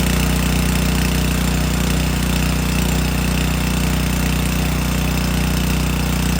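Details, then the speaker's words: Subaru EA190V pressure washer after a no-start fix: single-cylinder engine holds a steady, even chug under constant pump load, no misses; running normally, pump working. "before engine sounds good see if that pump didn't work that's what it would be doing so I'm very happy with that"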